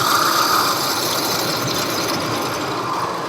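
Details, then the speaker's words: 2000 Ford Expedition 4.6 V8 at idle: thin whirring high-pitched squeal with fast ratchety chatter that misleads about its location; the source is a bad idler pulley bearing, to be replaced. "but this here is the main noise so all we got to do is replace a pulley"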